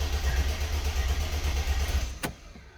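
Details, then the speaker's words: Mercedes E320 convertible W124 with M104 engine, on the lift before engine harness, throttle body and alternator harness replacement: low pulsing starter crank about two seconds, tries but never fires; cause unconfirmed. "so you can hear that it actually tries to start but it's not going to"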